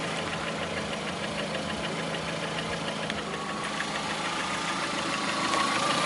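A regular tapping, roughly three per second, rides over the engine and carries on as revs rise; a knock of unknown origin.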